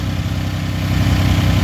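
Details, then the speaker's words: Toyota 5VZ 3.4 V6 truck with worn throttle body, reworked: steady even idle still fast at about 1200–1300 rpm, down from 1800–2000 rpm, no dips; high idle the owner blames on the throttle body. "Okay, doing all that work I did get it to idle down some. It's not perfect but as you see I'm what 12, 1300 maybe. It would idle up here like between 1800 and 2000 RPM."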